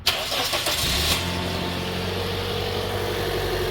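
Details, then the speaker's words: 2010 Toyota Corolla S, just after replacing burnt, corroded old spark plugs: short crank, fires straight away and drops into a smooth steady idle without stumbling; normal engine start. "Starts right up. Idles really nicely, so that improved how the engine's going to run."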